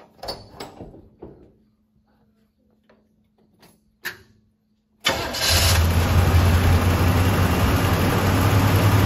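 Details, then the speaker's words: 1979 Chevy K10 pickup, abandoned about 20 years, first start on old fuel left in the tank: a few clicks, then it catches and settles into a steady, even idle, with some smoke and debris blowing out. "again that's running that is definitely running there you go this thing's like literally just fired up in idling after 20 years"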